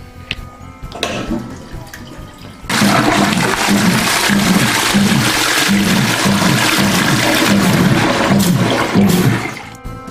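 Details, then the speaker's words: Sanisplit grinder/macerator pump for toilet and sink/bidet/shower waste, after disassembly, maintenance and reassembly with seals, freed from a stuck pressure switch: rush of water and steady churning pulse three to four times a second; pump running normally. "Infatti il rumore che sentite è la pompa che sta funzionando."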